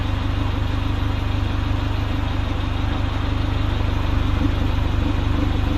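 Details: Honda CRX, Spec-D catback with added Vibrant 2.25in muffler and bottleneck resonator welded before the axle-back: deep, even idle burble at about 3.5 pulses a second, steady and unbroken; a healthy, smooth idle.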